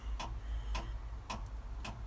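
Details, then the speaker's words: 7.3 IDI Ford diesel in a 1976 Ford truck, cold start with the glow plugs triggered by a button: sharp relay clicks about twice a second with the engine off. The glow plug controller is cycling abnormally and the engine won't fire. "I've got it hooked up to a button hear that clicking all right apparently it's not supposed to be doing that"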